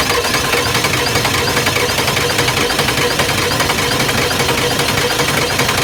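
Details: Ford 7.3 IDI diesel, first start after complete top-end rebuild and 11 years sitting, started with ether, fed from jerry can: steady even idle with light injector clatter, no misses or surging; healthy normal diesel idle.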